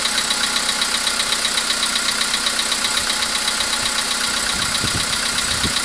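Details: VW Polo Sedan with CFNA engine at idle: light, even tap about two to three times a second over a steady idle; an unexplained engine knock, cause not pinned down.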